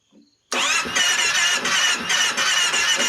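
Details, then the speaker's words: 2010 Kawasaki Teryx 750, cold start: engine catches and runs rough and uneven only on throttle and will not idle until warmed up; new spark plugs, coils checked; cause found to be tight rear intake valve clearance. "It won't start, won't run unless I'm giving it throttle. It'll start, it won't start. Guy said possibly valves, but if I give it a little bit of gas here, we're gonna get her to do it. It will not idle."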